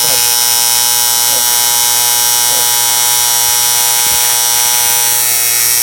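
Steady, harsh high-pitched buzz like angry hornets that stays even while filler is fed; a normal TIG arc.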